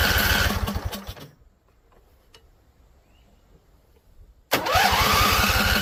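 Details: Husqvarna Z254 mower engine, after a PTO clutch install. It fires on carb spray and runs roughly about a second, goes silent several seconds, then cranks and catches again. Stalls; owner suspects flooding or a non-venting tank.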